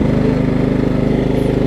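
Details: Over-20-year-old Craftsman riding mower, Kohler Command engine, restarted after the misfitted deck belt that locked the engine was refitted; the belt is not catching. Steady, even thumping beat with no catching or dragging; normal running.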